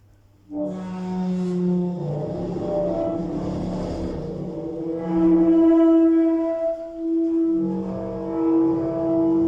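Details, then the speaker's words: Modernised lift with DMG fixtures, Metrocentre coach park, going down. Loud sustained high squeal, almost like an alarm. Condition has dramatically worsened and it is unlikely to be fixed before replacement; cause not stated. "Lift going up. That is so loud. It sounds like an alarm almost."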